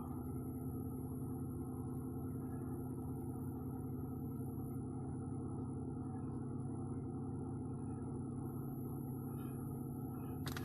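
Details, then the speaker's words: 2011 Ford Edge Limited, 3.5 Duratec V6 with 330,000 miles, after front-end engine rebuild: cold start settling into a quiet, even low idle hum with no knocks or ticks; normal, healthy cold start idle. "looks like this is a nice little cold start got it running there you go a little bit of a rev man lulu bell sounds great"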